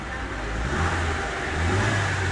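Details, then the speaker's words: Chevrolet Onix after replacing its original timing belt at 66,000, whose loose tensioner made noise on acceleration; with new belt, plugs and oil it revs smoothly with a deep steady note and no squeal or slap. "velinha nova Correia nova óleo pronto para rodar certinho"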